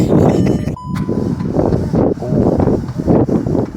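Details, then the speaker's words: VW Golf R Mk7 salvage car, first start attempt on jump: slow, uneven cranking about two and a half labored beats a second with weak, unequal compressions; low compression on cranking. "that doesn't sound good. Turns over though."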